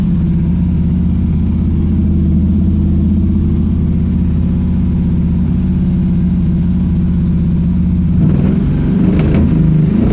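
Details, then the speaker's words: Pontiac Strato Chief with new homemade exhaust, much quieter: steady low exhaust drone, then from about eight seconds sharp irregular pops and crackles as it backfires, confirmed out of gas. "good [ __ ] backfiring like a [ __ ] it is definitely out of gas"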